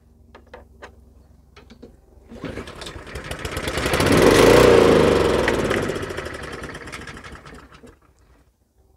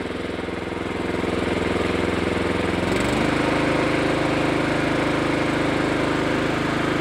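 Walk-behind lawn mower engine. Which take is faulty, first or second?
first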